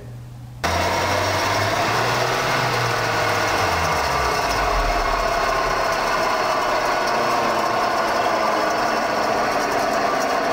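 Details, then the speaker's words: Car lifted on one side, wheel spinning in third gear with revs raised to about 80 km/h, giving a steady coarse roar that builds and holds at speed. Worn wheel bearing growling. "Rolamento de roda roncando."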